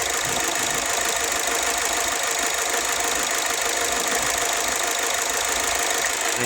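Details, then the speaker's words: 2007 Ford Escape at idle, after spark plug (one blackened) and coil replaced: uneven stumbling idle with irregular ticking and hiss; misfire traced to one injector with weak spray, a hard-to-catch fault. "Kaya hindi ako nag nagano dito sa injector na hindi mahina na yung buga ng isa. Ito yung troubles na napakahirap mong hulihin."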